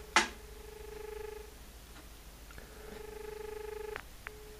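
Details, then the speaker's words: Australian landline dial tone with the handset held in front of the microphone: a click, then a steady mid-pitched hum that cuts off and returns briefly, normal; it times out after 15 seconds with a beep dropout signal. "Uh what I'll do now is I'll um I'll let you listen to dial tone. It only stays on for 15 seconds and then and then you get a beep beep beep dropped out signal."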